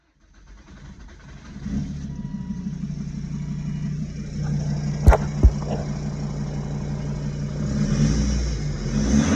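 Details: 2002 Volvo S60 D5 diesel after a manual swap, at start-up: fires up into a rough idle with an uneven knocking rhythm under the clatter; injectors tested fine and head checked, power unaffected, cause unknown, persisting about a year.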